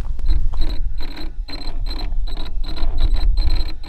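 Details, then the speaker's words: Traxxas Slash 4x4 RC truck, a 100 mph project on mod 1 gears, on a cold, very windy day. Under throttle it gives rhythmic buzzing stutters, about two a second, and no run-up, because a wire has come undone at the ESC. "That's me trying to give it throttle. So, it just the ESC won't go. Unless we have a uh a wire that came undone again."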